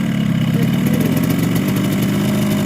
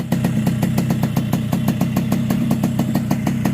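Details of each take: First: Recently bought Yamaha RX King two-stroke at idle: rough, uneven rattle with a hard metallic edge, heard as piston slap. Bike is rough with no power on climbs; over-wide exhaust port from bad porting, so block and head are replaced. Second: Yamaha RX King two-stroke after new cylinder block and head, replaced because a porting error left the exhaust port too wide and caused rough sound and no power on hills; crisp, even popping about five beats a second over a steady low hum, a smooth normal idle.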